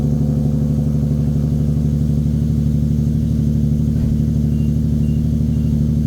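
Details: 2015 Nissan 370Z salvage car, cold start: a steady, even idle with a constant low drone and no knocks or misses; running smoothly from cold.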